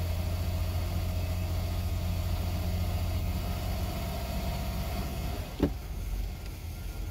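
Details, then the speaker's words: Boat engine with Holley Sniper EFI, just started at the ramp on the trailer, briefly warmed: low, steady idle hum with constant pitch, no hunting or stalling; solid idle before shifting into gear. "hey I got a solid idle"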